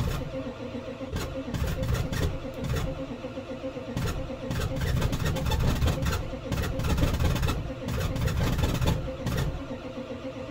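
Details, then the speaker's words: 1990s Ford 7.3 Powerstroke diesel at about 8°F, 222k miles, sat about a week, glowed first, battery around 10–11 V under load; slow, uneven, heavy cranking that never fires. Owner suspects low compression on a couple of cylinders from dusting, plus bad glow plugs. "so 222 thousand miles on this motor and it's hurt it's not got good compression there's a couple of cylinders that are fairly low I think due to some dusting and get aid some sand"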